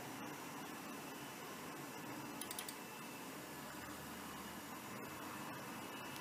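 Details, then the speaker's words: 1989 Macintosh Portable, refurbished and running: faint steady hiss with thin high drive whine, no clicks or grinding; normal running. "so yeah that's the Macintosh portable nicely refurbished and up and running"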